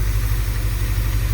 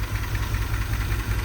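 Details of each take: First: Same truck after new plugs and wires and carb cleaner sprayed on the engine: a low, steady idle with an even beat and no skipped firing, so the misfire is gone. Owner suspects sticky valves and that carb cleaner cleaned it out; motor mounts still bad. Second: Truck before Berryman cleaner treatment: a deep, lumpy idle that surges and stumbles unevenly, misfiring. The engine rocks heavily because the motor mounts are completely shot.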